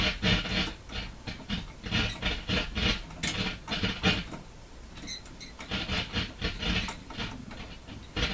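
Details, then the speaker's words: Grundig SO-152-CA console receiver, tuning capacitor long unturned: irregular scratchy crackle as tuning is rocked back and forth; suspected dirt, dust or crystalline growth on the capacitor plates, cleaned by turning it. Crackling during tuning. "Ooh. What was that? Some dirt on the capacitor probably because it hasn't been Yeah, it hasn't been turned for so long."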